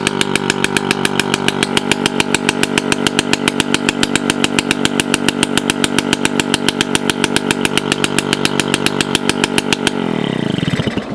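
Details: 1985 Yamaha QT50 two-stroke scooter, muffler cut off: loud, steady popping stuck at one speed with no climb, then cuts out; engine will not rev, caused by the ignition key switch position.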